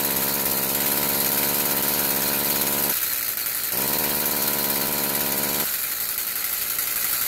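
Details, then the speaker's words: Stihl FS46 two-stroke string trimmer, complaint of bogging when throttle applied, owner thinks carb needs adjusting: revs a little then sags and stumbles each time throttle opens, never clearing out; bogging suspected from a plugged spark arrestor screen. "complaint is he thinks the carburetor needs adjust it it just keeps bogging down"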